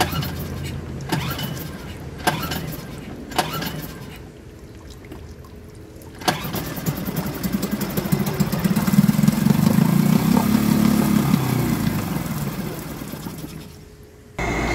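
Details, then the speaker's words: Suzuki DF2.5 2.5 HP outboard that won't start: with gasoline sprayed into carburetor air inlet, after a few rope pulls it catches, revs unevenly and dies; fuel isn't reaching the carburetor, likely blocked jet. "The test shows us that the problem is fuel, because it started when I put gas in it. Now we know that the gasoline does not reach the carburetor"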